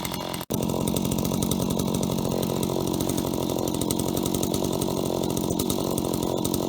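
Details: Stihl HT75 extendable two-stroke pole saw from auction, cleaned and tested: starts and holds a steady high buzz while cutting, even and strong with no misses; works perfectly, chain still sharp.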